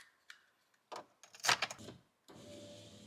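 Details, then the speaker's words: 2007 prerunner, window switch cleaned with alcohol after a fault: a few clicks, then a steady, even window motor whir without stalling or grinding; the passenger side works and the switch is fixed. "window switch is fixed heck yeah one less part you need to buy"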